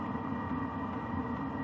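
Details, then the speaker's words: BougeRV all-in-one diesel heater on its low setting, blowing hot air under RV winter skirting: steady, fairly quiet blower rush with a faint high tone and slight ticking, running normally and not overly loud. "So, running on the low setting, it's not overly loud. Like, I don't think it would annoy anybody in the camp ground, especially in the winter, cuz the actual water heaters and the furnace are probably even louder than this."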